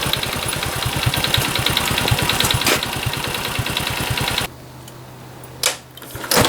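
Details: Honda Cub small single at idle, 65,000 km, compression checked; light fast metallic clicking about three per second before shutoff; engine ticking noise, cause not pinned down.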